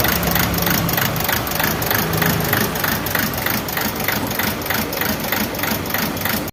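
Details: Toyota Etios diesel engine at idle: steady thump about three times a second over a rough, shaky run; engine misfire.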